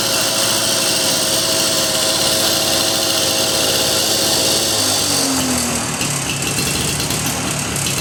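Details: Lawn-Boy DuraForce two-stroke mower after carburetor rebuild and reinstall: buzzes high and steady, then the pitch drops smoothly as it settles; runs clean and even; normal running.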